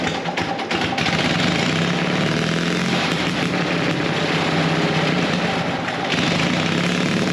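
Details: Gasoline pony motor on a late-1940s/early-1950s Caterpillar D6 cable dozer, a barn find that sat for years, just started: loud, steady, even clatter with a low drone and no misses or surging. Normal running.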